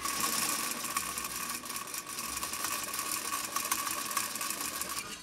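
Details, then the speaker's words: 1935 Singer 95-60 light industrial sewing machine with ball-bearing arm shaft, driven by a Swedish motor, sewing lightweight material: fast, even, light mechanical chatter with a steady needle rhythm and no grinding or knocking; normal, smooth running. "we're not listening for the motor because we're using a swedish motor but you can at least hear the machine run and it runs beautifully"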